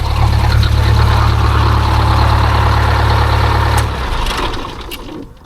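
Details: Detroit Diesel 8V-71 with new starter (part 6924N) fitted: deep, even idle rumble for about four seconds, then the engine winds down and stops cleanly; normal shutdown.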